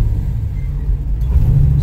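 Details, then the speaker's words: 1964 Chevy II Nova driving after the drive belt was tightened: steady low engine rumble with no squeal or chirp under acceleration; belt squeal fixed. "all right so great news the belt tightening exercise that we did fix the problem"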